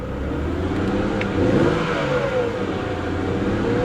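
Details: Copart auction convertible with engine misfiring: engine revved to see if it clears, but the note stays rough and choppy through the rev; the misfire hasn't cleared.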